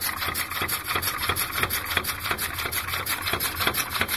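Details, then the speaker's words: Brandenburger pneumatic linear-cylinder engine running with one side loaded down: steady sharp knocks about three a second over hissing air as the piston bottoms out in the cylinder. "if i load this side down will start hitting the bottom to hear it"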